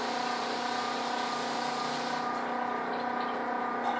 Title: Fridge making loud noise